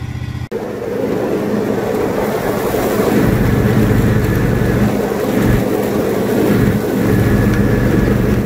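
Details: Free, previously non-running John Deere riding mower revived and greased, mowing: a steady, even engine drone with a low firm hum that holds speed under load without stumbles or misses, normal running under load.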